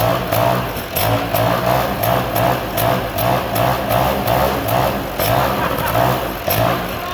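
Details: 1979 Sno-Runner two-stroke, sat on a shelf for years, missing parts, on makeshift fuel line, drill-started: buzzes along on its own with steady, even beat, no knocking or misfire; runs cleanly.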